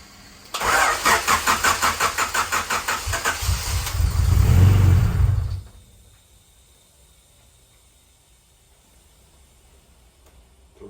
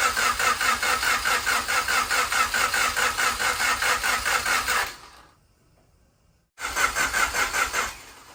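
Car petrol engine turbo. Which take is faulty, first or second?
second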